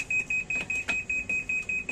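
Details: Sharp automatic washing machine set to spin: rapid high-pitched beeps, about four a second, repeating steadily; E2 error, so it won't spin-dry though wash still works.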